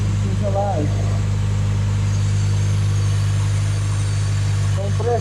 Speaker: Ну що усе закінчив все відремонтував кондиціонер нарешті працює все там було нормально з тиском